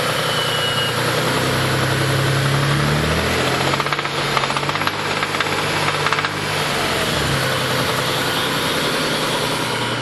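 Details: Mitsubishi 3000GT/Dodge Stealth twin turbo, around 2006, the day after the #4 rod bearing spun, last start before teardown and rebuild: idle with a couple of blips and a deep rhythmic knock under the engine noise that follows the revs; rod knock.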